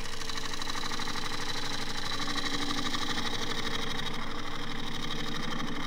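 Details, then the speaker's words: Woodturning a natural-edge tripod bowl on a small lathe: gouge cut through wild, irregular grain gives a steady fast knock, about three per second, under the cutting noise as the gouge bounces; surface not cut cleanly, later to be power sanded. "that's where the grains all over the place I can hear the knocking still not cut cleanly but I'm not really too worried by that"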